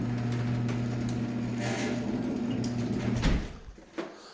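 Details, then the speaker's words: Garage door opener after greasing rollers with white lithium grease: smooth low hum, no squeal or scraping, soft thud at end; much quieter. "But yeah, much, much quieter. A little bit of white lithium grease goes a long way, guys."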